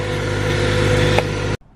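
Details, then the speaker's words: Acura RSX (DC5) K-series engine after starter replacement (intake manifold and throttle body removed for access): fired right up, steady even idle with a smooth low hum, no knocks or misses, then cut off abruptly; normal idle. "the issue was the starter car fired right up after the star was replaced so super awesome"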